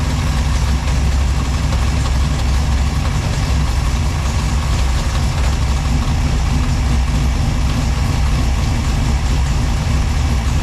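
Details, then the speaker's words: Freshly rebuilt V6 in a Chevette drag/track build, first startup after drivetrain install, now running on all six cylinders (previously four), timing set, temperature good: steady deep idle with rhythmic choppy cam lope, no misses; normal lumpy cam idle. "So far, got one of them choppy cams. Sounds good."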